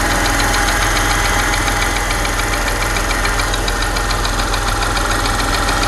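Steady idle with a light, fairly regular tick around three to four per second over the engine note; source of the ticking unknown.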